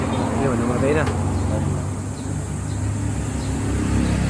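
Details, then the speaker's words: Yamaha YTX125 motorcycle that starts but won't keep running: a low, lumpy idle sags partway through and struggles to stay alive; misfire and stalling. "umaandar pero namamatay ano ay tumuloy yan umaandar guys yan opo namamatay siya yun oh parang palyado guys"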